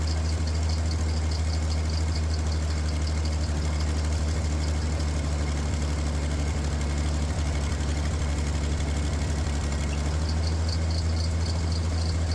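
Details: Asplundh JEY chipper engine after ignition work and new ignition box, first start with fresh gas, original fuel pump diaphragm: deep steady drone at even low idle, no clear knock; running; oil and foam later found in radiator.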